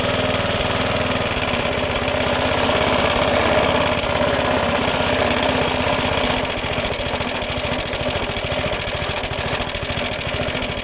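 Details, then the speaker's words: Suffolk Punch mower after fixing a locked drive, started outside after flooding the carburettor: steady, even single-cylinder putter with a constant mid tone and no misses or surges; runs cleanly. "We'll fire it up. I just want to try and make sure it all runs as it should do."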